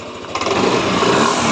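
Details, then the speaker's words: Yamaha NMAX V3 155 scooter, 9,500 km, after burnt error-12 fault repair, new battery; traction control switched off so it revs without cutting: buzzy rev climbs smoothly and holds without stumbling; pulls cleanly. "So i-off muna natin yung traction control. Yan off natin para ma-rev natin ng maganda."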